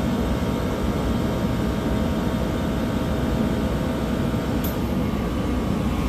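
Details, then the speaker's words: Copeland digital scroll compressor modulating below full capacity: a steady low drone with a faint click near the end as the unloading solenoid activates, normal operation. "and now you can hear the solenoid activating once again"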